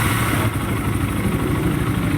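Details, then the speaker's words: Raider 150 motorcycle at about 38,000 on the clock, owner getting it refreshed: idling with a faint, quick light tick over the even beat; minor ticking, cause not yet pinned down. "Ito mga kulawag, paparepres ni boss. Dahil may tik-tik na rin, kaunti lang."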